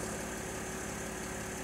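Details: Mercedes GL after an Airmatic air suspension repair, once the car has reached ride height and the compressor has stopped. Steady, even, smooth engine idle. Normal idle.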